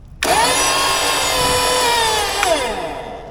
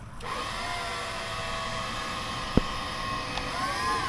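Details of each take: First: Salvaged flooded EWP hydraulic pump bench-powered from two batteries wired for 24 volts: motor spins up sharply to a steady high whine, holds even, winds down smoothly; pump runs normally. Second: Flood-damaged electric scissor lift (EWP) on 24 V pump, lifts up and down but won't drive forward or back; steady electric pump whine with small pitch dips, pump running without doing work; owner suspects weak pump, maybe steering.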